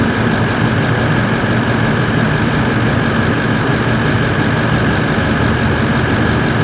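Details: Toyota 1VD-FTV turbo diesel swapped into an 80 Series Land Cruiser, first start after an ECU adjustment: even, steady idle with smooth low drone, no knocks or misses; clutch fan seems stuck on.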